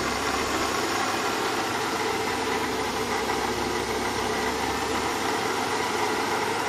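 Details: BMW E36 320i at idle: steady hissing whir with no knock or rhythm, pointing to a worn water pump bearing rather than valvetrain.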